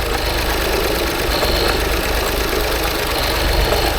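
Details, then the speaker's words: 2016 Range Rover Sport with only bank 1 holding compression and one bank's coils disconnected, running on half the engine: a rough, uneven idle with a dull mechanical knock, close to stalling; mechanical damage suspected, extent unconfirmed. "I already know it's got a mechanical problem because of the way it sounds, and the whole bank is down. I don't know if you can hear that knocking."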